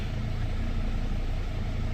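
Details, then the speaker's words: Dodge/Mercedes Sprinter diesel van after a repair: starts much easier, low even diesel idle with steady beat, no stumbles or hiss; then no check engine lights and good power on test drive. "And already, just starting this thing up, it started up way, way easier."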